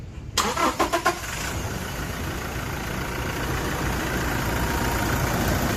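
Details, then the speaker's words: Toyota Fortuner 2.4 diesel (2015–2020) after battery replacement: a few quick cranking pulses catch at once into a steady, even diesel idle with no stumbling; starts and idles normally. "แต่ผมก็สตาร์ทติดปกติดีนะครับ"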